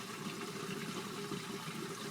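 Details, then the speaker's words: LG WT1101CW 5.0 cu ft HE top-load washer draining during the wash cycle before rinse: steady rushing water over an even pump hum, no knocking or grinding; owner notes draining is the loudest part of an otherwise quiet machine. Normal drain pump noise. "so right now it's draining as you can hear that's probably the loudest thing about this wash machine is when it"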